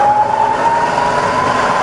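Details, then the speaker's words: Rebuilt Bridgeport mill, variable speed head, 240V single phase, switched to low range, spindle at 50–60 rpm rising: smooth even hum with clean steady tone slowly rising in pitch, quiet, no knocks or grinding; healthy spindle. "i fire up in low it's just as quiet and low but now we're doing 50 to 60 rpm"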